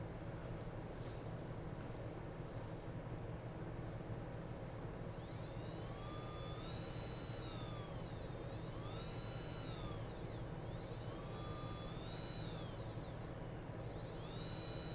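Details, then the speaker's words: Brother Hobby 3115 FPV drone motor, returned for a suspected noise and bench-tested: clean high whine sweeping smoothly up and down with speed, no scraping, ticking or grit; judged a good, normal motor. "i'm not hearing anything that's not normal i'm not hearing anything that's out of the ordinary by any means so i'm going to say this was a good motor too"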